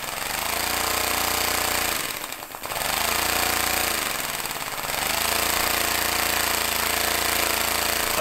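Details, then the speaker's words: Homemade compressed-air engine in a vise, throttled by a pressed button: fast rapid chuffing settles to a slow, really low idle, then picks up again as throttle opens; normal idle and revving. "so you can almost idle it and then oh stop and really low idle speed and then"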